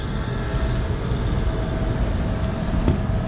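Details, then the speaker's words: York rooftop unit not cooling properly, low ambient free cooling light on, damper possibly stuck open, water everywhere from clogged drain: compressor gives rough, uneven low rumble with rattly grit over steady drone; sounds terrible, cause unknown. "But the compressor is running, so I don't know what free cooling they're talking about. Is this damper open? It's pretty open, but I think that thing is just stuck open. But we got water everywhere. This thing sounds terrible."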